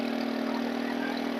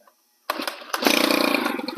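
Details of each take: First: Stihl FS 110 4-mix four-stroke engine with a crank seal air leak: as the low mixture needle is leaned or richened, the high buzzy note hunts wildly, nearly stumbling and dying richer and revving very high leaner. It will not hold a steady setting. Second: Stihl FS 110 4-mix (four-stroke) engine after its leaking crank seals were replaced and the cam plate bolts torqued: quick start after a pull, then a steady, crisp idle with no stumbling; running normally.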